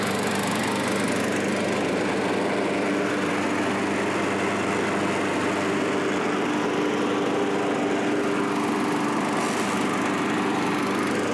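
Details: Curb-found self-propelled Craftsman mower, single-cylinder, after carburetor cleaning and reinstall; steady, even buzz with no hunting or surging: normal running.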